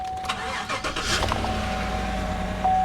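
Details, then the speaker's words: Z71 truck at auction with factory exhaust; quick crank then a smooth even idle with no knocks or ticks, a clean healthy start. "factory exhaust sounds good runs great"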